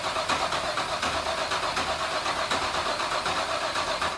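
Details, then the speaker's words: Pre-primed fresh race engine, cold, on a turbo car: steady starter cranking at about four pulses a second that never catches or fires. Crank, no start, found to be a no-spark condition. "well it looks like at very least we have a no spark situation so we're gonna probably call it a night"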